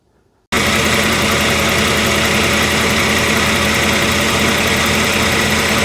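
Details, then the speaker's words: 1994 Jaguar XJ6 after replacing the failed igniter with a GM Vortec ignition control module: steady, even idle with no misses, stumbles or knocks; running smoothly, crank no-start fixed. "Well, there it is running. I'm going to let it run tomorrow and see how hot that module gets."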